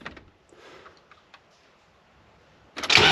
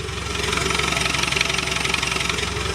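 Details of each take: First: Land Rover Defender 110 diesel started in neutral with clutch pedal in; cranks, catches, settles to idle with light regular rattle three to four per second; clutch-area rattle said to worsen as it warms, suspected troublesome clutch to be replaced. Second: Land Rover Defender 110 Overlander diesel after transfer box swap and new clutch, no exhaust fitted, battery 12.7 V, microphone placed low: even, loud raw diesel clatter at idle with steady pulse; gearbox quieter, idling normally.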